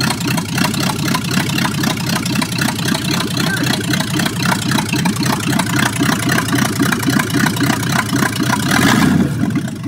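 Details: 1965 Ford Mustang coupe engine run with transmission removed, air cleaner off and no exhaust, held at steady fast idle; rough repeating knock about four per second under the open bark, source not yet found.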